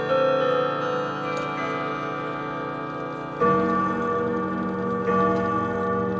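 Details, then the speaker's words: Clock with 1970s case and common 1161 movement, fitted with different strike hammers: clear, sustained bell tones struck at even pace over steady tick; strike rings full and mellow, quieter, no longer tinny; chime unchanged. "The chime still sounds the same, but the strike sounds much better. It's a little bit quieter, but it's really nice. It's no longer tinny."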